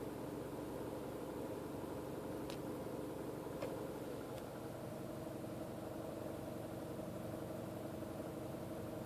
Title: Mini cooper rattle noise